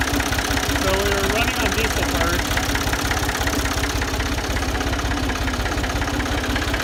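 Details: Ford 2000 diesel tractor with suspected bad injectors, fuel system bled and running on Diesel Purge with a weak battery: rough idle with a hard, regular clatter, about three knocks a second over the engine drone, consistent with injector knock.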